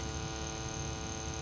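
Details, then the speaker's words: 1971 Philips model 1530 cassette recorder playing a junk cassette: the tape runs, but only a steady low hum comes out with no programme sound. "moving there's just no sound at all maybe flip this around [Music] well clearly getting no sound"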